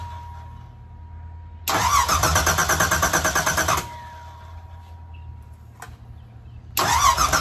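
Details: 363 V8 on an engine test stand before fitting to a Factory Five build, choke getting 12 V, run about half an hour at mostly 1500–2000 rpm with some idling. It runs in short, even bursts with a steady beat and no knocks or ticks. Nothing wrong found.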